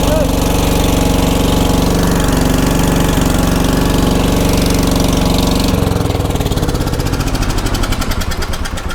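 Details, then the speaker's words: 1980s ORVCO Transtrack UTV small single-cylinder engine, started with choke: catches and settles into a steady, even putter with no knocks or misses; sounds healthy. "Oh, that sounded pretty healthy."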